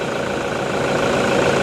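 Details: Toyota Vigo 1KD diesel after a repair, idling to warm up before a road test: steady, even idle clatter with no misses or knocks; the engine sounds normal.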